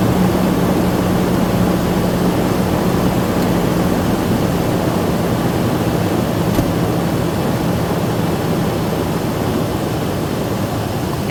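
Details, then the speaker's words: Toyota Tundra with a weak battery charged from another truck's engine, started after a tie rod end replacement and driveshaft reconnection. Steady low drone at an even idle with no stumbling or knocks; it runs normally. "and just like that we have a running farm truck awesome I'm super happy"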